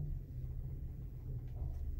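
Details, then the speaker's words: Apartment building elevator moving with a rider inside: deep continuous rumble, grinding and low hum with no clear rhythm while the car shakes; fault undetermined. "слышите какой скрежет я этот скрежет слышу у себя в квартире когда кто-то едет это ненормально он трясётся"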